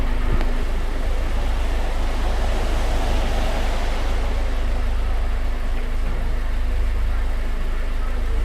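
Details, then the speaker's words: Honda Civic Type R EP3 idling after water pump and idler pulley replacement and coolant bleed; smooth even low idle with no ticks, squeals or grinding, previous noises gone, healthy. "The noises are now all gone and I'm absolutely delighted. I've replaced the water pump, I have the idler pulley changed as well, I have bled up the coolant system, and everything is as it should be."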